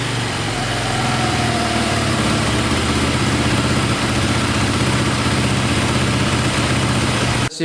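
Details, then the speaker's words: KTM 450 dirt bike after carb fix, clutch cover gasket sealed and oil added: loud, steady single-cylinder idle with no misses; faint click at shutdown, owner suspects the one-way starter bearing. "fires right back up sounds good there's a little click in there at the end i think that's the one-way bearing going"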